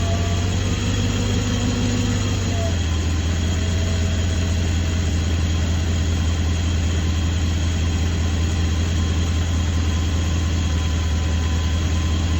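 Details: BMW E32 at idle with rough idle and shimmy complaint: low, uneven idle drone with a wavering beat and slight loping; cause not evident.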